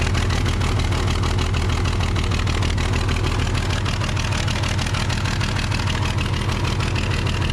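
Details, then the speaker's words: Case 855D loader, 12-valve 5.9L Cummins diesel, after tightening another injector nut to about 50 ft-lb, which stopped bubbling: steady even idle clatter, regular firing, no misses or knocks. "okay so I was able to tighten that other injector nut up to about 50 foot PBS and it seems like it uh got rid of those bubbles so might have just been a little bit loose"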